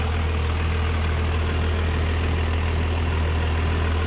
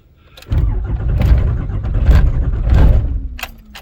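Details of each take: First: Rebuilt 5.9 Cummins diesel pickup swap just started cold after a jump and about 8 cranks, no starting aids or throttle, two 5-year-old batteries; steady low drone at an even idle, no misfires or hunting, running healthy. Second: Rebuilt 5.9 Cummins swap cold start at 21°F ambient, coolant 28°, five-year-old dual batteries, anti-gel fuel, no block heater or grid, no throttle or spray: first crank drags slowly with heavy uneven compression beats, no catch. Slow crank, no start; starts third crank.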